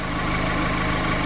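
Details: 2016 Mazda MX-5 (ND), 35,700 miles, Copart salvage with blown airbags: steady even idle pulse, constant pitch, no knocks, ticks or hunting; healthy engine.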